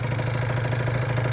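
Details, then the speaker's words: 50cc two-stroke scooter with Koso 89 mm variator, 8 g rollers, original 39 mm piston, main jet raised from 82 to 86, original airbox refitted, idles buzzy and uneven; still the same symptom of poor running when hot. "We'll see if that if it runs better. Less air. Still has the the exhaust here. Still the same symptom."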